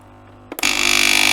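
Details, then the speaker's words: Philips LatteGo espresso machine (probably 5400 series) that showed error 11 with three blinking LEDs and would not heat, after repair: a click, then a loud even pulsing pump buzz as it fills with water, a normal priming. "The circuit is buzzing. I'm already switching it on. It has filled the water. Nothing is flowing."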